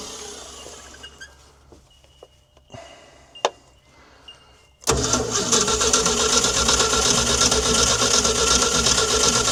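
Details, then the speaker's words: Ford D Series petrol fire truck that sat 16 years, after corrosion was scraped from the distributor cap: a steady starter churn of about three beats a second, cranking without catching. The owner suspects fouled plugs; spark was later confirmed. "I don't know what else it can really be unless the plugs are failed up, but I can't imagine them all being like that. At least a couple would be trying to fire you would think, but without pulling them all out, we'll give her another go."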